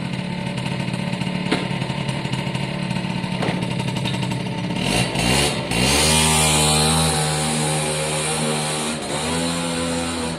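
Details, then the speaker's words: Suzuki AP50 two-stroke after carb clean, on a quick road test run: revs up hard and pulls but sounds flat, lacking bite at full throttle under load, though otherwise running well. "it's still a bit flat on full throttle under load but it is running well"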